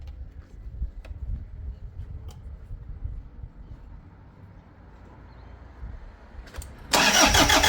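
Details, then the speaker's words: Diesel engine right after a fuel filter change and priming the system: steady, even cranking with no firing or catch, sounding like it has no compression; long crank, no start. "just fire it up [Music] that sounded like it had no compression that was"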